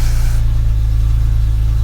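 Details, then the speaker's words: BMW E46 M3 (S54 engine) started after fresh battery: quick start then strong steady low exhaust note, smooth and even with no knocks or misses; engine healthy. "And this is a 3-liter V6, which is quite a rare engine, at least in this country. It does pull nicely, it's got 240 horsepower."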